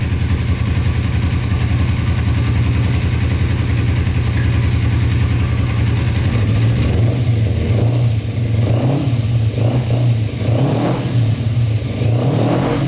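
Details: Cheap non-running Kawasaki Ninja sport bike, sat long, oil level good, choke fully off: steady even engine note swells cleanly with each throttle blip and drops back smoothly; healthy revving.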